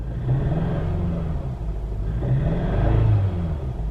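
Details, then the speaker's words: Nissan with 150k miles at idle after codes cleared, engine visibly shaking: low, lumpy idle that stumbles and surges irregularly; P0304 cylinder 4 misfire, failed ignition coil. "you guys can't really tell but it's shaking pretty good rpms aren't jumping as bad as they were when we didn't have the codes cleared but now that they're cleared it's definitely not as bad but you can hear it"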